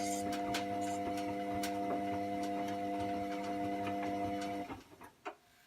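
Light clicks come irregularly, about one or two a second, over a steady motor hum through the wash; the source isn't clear.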